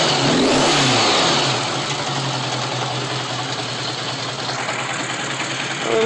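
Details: Honda GL1100 four-cylinder motorcycle with about 300,000 on the engine, before carburetor sync: slightly uneven, loping idle beat with a small blip; carbs likely need synchronizing.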